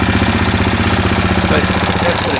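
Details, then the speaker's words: 2000 Kawasaki Lakota single that smokes and burns oil (owner suspects rings), after an oil and filter change, on the stock carburetor, idling as it runs out of gas: a fast, even light valve tick rides over the thump. "a little bit of valve noise it's running out of gas now"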